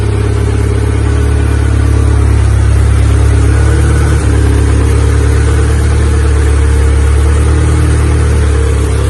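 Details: Honda EK Civic with a freshly built Vitara D16 turbo engine on its first start-up, radiator cap off; steady, even drone at a fast idle near 2000 rpm that never settles. Owner thinks it is an ECU setting and suspects the throttle body.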